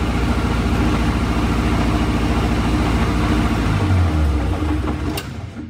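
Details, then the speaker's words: 1962 Austin Healey Sprite Mark II revived after long storage, carbs adjusted: strong steady idle rumble about three beats a second, no knocking or misses; gauge shows no oil pressure yet, suspected unprimed pump, faulty gauge or leak. "well the car runs pretty good now i did not see the oil pressure go up on the gauge"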